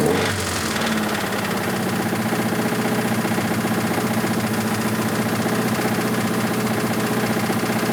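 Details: 1986 Toyota MR2 AW11 salvage-yard parts car, after vacuum leaks were fixed: at idle a hard, regular metallic knock about three per second on every turn; bad rod knock, engine declared toast.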